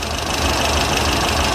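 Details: Pinzgauer twin-carb engine idles steadily with a faint low pulse about three times a second while the front and rear carbs are still being balanced.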